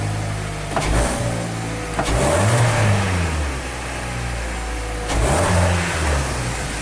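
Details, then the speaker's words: 2014 Hyundai Tucson with delayed acceleration after a service that included spark plug replacement and injector cleaning, listened near the muffler: two throttle blips rise raggedly and stumble; suspected misfire or breaking up under acceleration, unconfirmed. "so let's go back by the muffler so it definitely sound like it's like it's breaking up you're not getting a free flow you dig"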